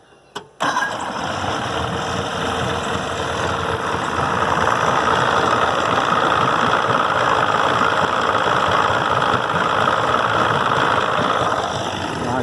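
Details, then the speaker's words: 1969 Evinrude 55 hp outboard after fixing erratic running, cold morning start without choke: catches instantly after brief electric crank and settles into a steady, even run; clean, healthy cold start. "I said I'd come out here cold which I did be honest I did crank it already this morning about 7:30 but uh I don't even need to choke it or nothin I mean"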